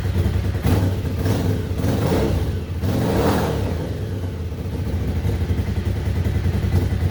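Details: 1998 Suzuki TL1000R, wrecked in 2006 and unused for 15 years, first start on very old oil with no coolant after its injectors were revived. A deep, lumpy twin-cylinder beat rises and falls with throttle blips, then holds steady; engine runs.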